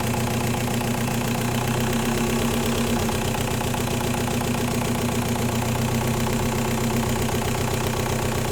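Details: 1.9L TDI diesel with an ongoing fuel problem; sharp uneven knocking about four per second rides on top of the idle, diagnosed as bad injectors: diesel injector knock.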